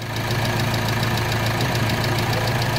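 Steady, even diesel idle with the usual light injector clatter ticking along evenly; sounds healthy, no belt squeal or irregular knocks.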